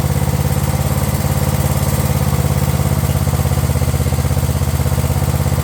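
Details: Craftsman LT1000 riding mower/tractor running at a steady speed with a quick, even single-cylinder beat, no surging, misses or backfires, after replacing the aftermarket carb with a previously rebuilt one; it runs smoothly.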